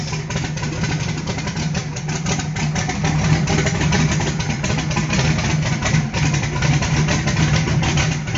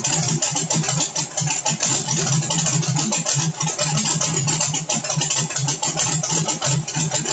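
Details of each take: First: Carbureted small-block V8 on pump E85, CSU blow-through carb, no choke or extra cold-start fuel, just started cold: steady low lumpy idle, no stumbling or dying; normal cold idle. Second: Carbureted small-block truck on pump E85, CSU blow-through carb, no choke or extra cold fueling, cold start: choppy uneven idle with busy rattly exhaust; not yet burning E85 cleanly until about 140°F.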